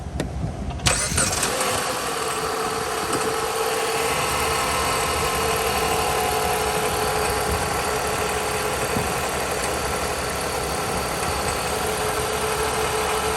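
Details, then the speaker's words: Jeep with customer complaint of driveline-type noise, engine started: cranks, catches, steady run with faint dry whirring rattle up front; failing alternator decoupler clutch pulley suspected, rust-metal dust on alternator front. "I believe the decoupler clutch right there on the end of the alternator is our culprit and if you look at the front of the alternator see all that brown dust and that's not dust that's rust metal particles that are being ripped apart and slung all over the casing"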